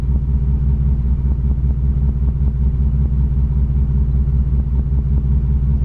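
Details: 1987 Chevrolet Cavalier RS convertible V6 at idle, owner has replaced everything yet it won't smooth out: steady low idle with uneven lumpy pulse and faint irregular ticks; rough idle, cause unclear.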